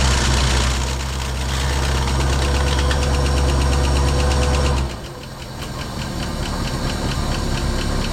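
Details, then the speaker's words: 1968 Ford Mustang V8, first run after sitting about 20 years, fuel pump replaced for fuel delivery: fires up and settles into a fairly even idle, about four pulses a second, light valve ticking, no knock; sounds healthy. "dig it guys it's freaking idling wow man that's awesome I haven't heard my car running 20 years she sounds good too"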